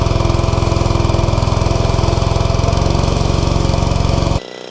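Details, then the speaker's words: Simpson ALH 3228 all-aluminum gas pressure washer with Cat commercial pump, at full throttle after a few minutes' warm-up, delivering 3,400 PSI: a steady, even engine beat of about 3.5 pulses a second under load, smooth with no misses. Normal, healthy running. "Alright, so that was 3,400 PSI of pressure from that pump."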